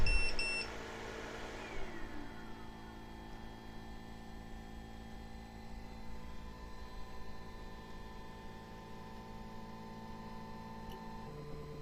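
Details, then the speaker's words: Giantarm D200 3D printer powered on after rerouting the replaced X-axis wiring harness about 1.5 inches clear of the rail: short beep, then steady stepper whine shifting pitch and stopping cleanly as each axis homes; normal homing. "Okay, so let's go ahead and fire it up and see what she does. Power's on. Everything is homing."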